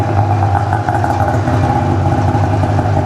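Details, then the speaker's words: Ski-Doo two-stroke snowmobile, 17,000 km, just rebuilt with new pistons and gaskets, fresh synthetic oil, choke on, just fired up: busy crackly idle with steady low drone and raspy edge, even, no misses; sounds healthy. "Choke on. Nuttinger! Fire it up! She fires right up though, she sounds really good."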